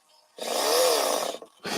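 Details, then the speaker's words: RC airplane servo cycling on the bench; short buzzing grind with a wavering pitch each time it moves, rough and uneven, suspected bad gear; the servo still moves but sounds wrong. "get the world's noisiest servos but hello oh that doesn't sound good this one here sounds like a bad gear"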